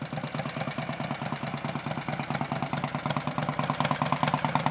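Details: 1962 Harley-Davidson Panhead barn find, revived after 20–30 years unstarted, running with no air cleaner: a loose, even potato-potato beat of about two firings a second, with no knocks or misses; healthy V-twin idle.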